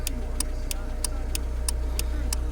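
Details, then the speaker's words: 1998 Honda Civic after turn signal switch and relay replacement, engine idling: crisp even relay clicks about three a second over a low steady idle, turn signal flasher now working normally. "so turn signal on if you touch this you can hear like a ticking sound or you can feel a ticking sound"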